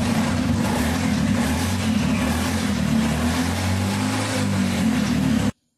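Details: Scooter CVT automatic transmission after disassembly, measurement and cover reinstallation, function test revving: engine picks up smoothly and holds a steady even drone with no slap, rattle or grinding; transmission healthy.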